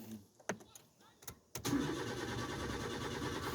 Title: Nissan Micra 05 problem engine won't start